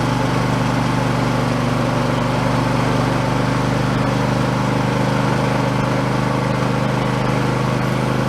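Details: Husqvarna YTH2454 mower, 24 hp Intek V-twin, after carburetor rebuild with a kit: steady even drone at constant speed, no surging or hunting; engine healthy, declared fixed.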